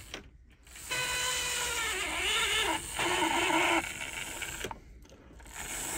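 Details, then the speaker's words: 1980s Hornby APT, original motor in the centre car before repair; a thin, labouring whine rises and sags with scratchy stops and starts, sticking when power is applied. It is lethargic and noisy with carriages on. The cause is a worn armature/commutator; the owner first suspected lack of oil. "there's no power in the motor so once you've got all the carriages on there it's very lethargic um and just you know makes an horrendous noise as well"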